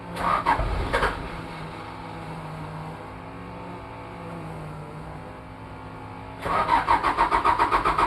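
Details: Toyota 2L-T diesel cold start: cranks and catches, settles briefly, then chuffs unevenly at about four beats a second; one bad injector plus possible cylinder head issues after piston rings replaced without a top overhaul.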